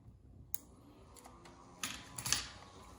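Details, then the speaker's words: Floppy drive in an HP Pavilion N5445 laptop (c. 2001, AMD Duron/Athlon) clicks and buzzes quietly and irregularly at power-on during a partial-assembly test boot, with no display shown; normal floppy seek at boot. "Interesting. That sound is the floppy drive booting up."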